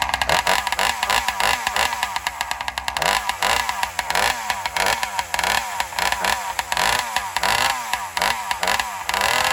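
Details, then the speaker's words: Alcohol-fuelled chainsaw revs and drops in rapid pulses through the cut, falling flat under load; owner suspects it runs lean, starving for fuel on the high-speed circuit, not confirmed; engine bogging under load. "And I have a feeling the saw is running lean as it goes in the cut, like it's starving for fuel."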